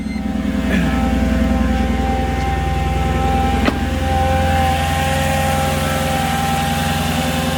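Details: Mercedes C55 AMG M113 V8, first start after fitting Nuke Performance fuel rails: catches and settles into a steady, even idle with a smooth low burble and no knocks or misses. Runs healthy.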